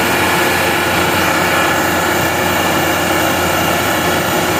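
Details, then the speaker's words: Gardner Denver Electra Screw EBE99K, 24,873 hours, freshly serviced, warm after auto restart: steady even roar of air and motor through the cooler exhaust, no knocks, rattles or surging; loading normally. "It just comes right along. Good exhaust coming through the cooler here. Very nice airstream."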